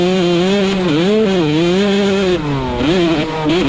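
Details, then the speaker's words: Two-stroke bike revved after fitting a custom-built longer silencer with forged carbon fiber end cap, made for more low-RPM power: crisp note rising and falling cleanly with each throttle blip, well muffled, no misfires; ripping sound better than before; normal revving. "Ignore the rattling crunch up and you can still hear that lowly ripping sounds even better than before."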